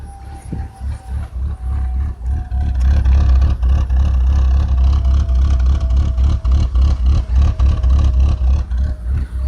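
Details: 2003 BMW 325i: faint hiss in the engine bay and uneven idle pulsing about four times a second; hissing began a day earlier, engine stumbles and stalls unless the gas pedal is held.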